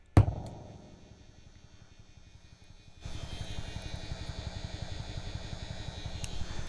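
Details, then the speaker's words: MXR Phase 90 pedal on battery, switched off: a click, then a low buzz that gets louder with the cable plugged in, jumping to crackling hiss and pops; the leaky input capacitor is to be replaced. "It's off and you still hear some buzz. Gets a little bit different when you plug the cable in. A little bit louder."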